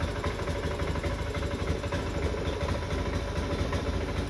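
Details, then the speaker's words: Honda Beat FI scooter, no fault code on the speedometer, stumbling ("brebet"): at full throttle the rpm stays stuck around 1000–1500 with low uneven chugging. Hesitation under throttle; cause not confirmed. "ini gasnya udah aku full gas tetapi Kondisinya masih berobat nggak mau naik rpm nya masih tertahan di sekitar 1000-1500 RPM"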